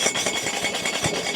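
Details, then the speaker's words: Battery-powered portable camping water heater: a gritty metallic rattle when the unit is shaken, something loose ringing inside the casing. The owner guesses it is the igniter. Another unit did the same, and the source is not confirmed. "I don't know if you can hear that something inside of there Rings I've seen another one in person and it also did that"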